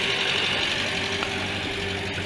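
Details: Renault Trafic 2.2 litre diesel idling, heard from the front of the van: steady idle with a thin, high whistle clearest at the start; whistling noise of unknown cause.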